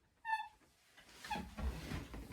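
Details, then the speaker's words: Ashford Country Spinner 2 spinning wheel in use after oiling everything: two short, high chirping squeaks about a second apart; owner believes the bobbin or flyer is squeaking, not the pedals, and it is intermittent. "see you can hear that squeaking it doesn't do it a whole lot my mom thinks I should reame it Mouse because it's squeaking"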